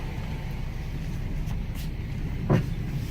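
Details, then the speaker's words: Jeep Compass, 150,000 miles, ABS and traction lights on, while driving: one heavy hollow clunk on a bump over road rumble; severe suspension noise, loose steering, strut top mount suspected failing. "Good lord. Okay. This suspension about to come apart."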